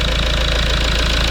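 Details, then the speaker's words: Rebuilt Toyota Land Cruiser Prado 1KD-FTV diesel warming up after rebuild, coolant being bled: steady, even idle clatter with a firm low rumble and no irregular knocks; seems to run well. "Bref, on le laisse chauffer, on observe. Ça a l'air de bien fonctionner."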